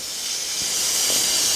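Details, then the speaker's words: Presto pressure cooker on the stove, pressure reached about 80 kPa: steady high-pitched steam hiss growing louder as pressure builds; safety valve venting normally, working well. "ya tenang aja kalau udah mendesis gini artinya klep pengaman kita ini bekerja dengan baik"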